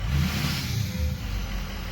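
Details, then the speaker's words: Ford 6.0 diesel revved with the note surging and wavering instead of climbing steadily: the VGT turbo is stuck at 0.84, so boost fluctuates as the vanes try to break free. "vgt is actually stuck at point 84 which is part of the issue that I'm having when I rev it up"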